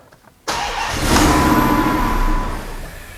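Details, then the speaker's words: Twin-charged Hemi, first start after a year of work, extra fuel added to startup base injector: engine catches with a sharp burst, runs raggedly a couple of seconds, then dies; starts but will not keep running. "well it runs for a moment longer actually guys obviously it just barely runs"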